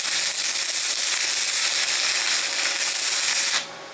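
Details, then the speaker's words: VEVOR MMA 200 DC stick welder, first use, with the supplied rod: loud fierce even crackle and sizzle for about three and a half seconds; arc may be running slightly hot, later turned down to 80. "Now that's the rod that they gave me. Sounds good. Actually sounds like I might be a little bit hot."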